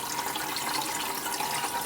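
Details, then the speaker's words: Electric BMW 320i conversion, test of two newly mounted Lang coolant pumps: continuous rushing water with no surging, gurgling or pump rattle; both pumps show good, even coolant flow. "And you can hear both pumps are pumping water, good flow. So that was the last thing to verify."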